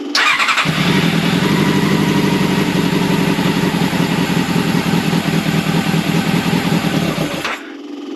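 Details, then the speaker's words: Old Honda CBR600 carbureted track bike: it catches on choke and runs at a lumpy, uneven idle, then dies as soon as the throttle is touched; the carb idle circuits are suspected gummed up and the carbs need cleaning. "hey as soon as I pull the throttle it's dying so the carbs are gonna have to come out it's gonna be clean but it runs"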